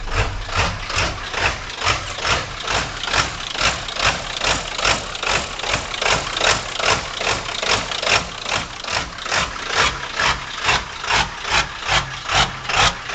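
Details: 1997 Powerstroke diesel at idle: the idle surges and sags in a regular lope of about 2.5 pulses a second over steady clatter. The rough idle occurs cold or warm in any weather and smooths out with throttle. GPR, glow plugs, MAP and cam sensors already replaced and FPR screen cleaned; cause unknown.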